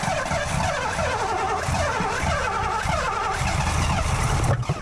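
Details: 1984 Ford LTD Crown Victoria with central fuel injection, engine not at top dead center and a suspected fuel problem: continuous starter whirr with ragged, uneven chuffs that never fire; cranks but won't start, possibly because the firing order is wrong.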